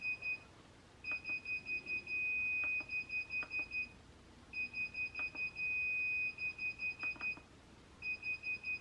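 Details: Sur Ron Light Bee MX electric motorbike with KO Factory Spec controller, just after firmware update, before throttle calibration: rapid high beeps in bursts of about six broken by a long steady tone, repeating; controller shows throttle (acceleration) pedal alarm.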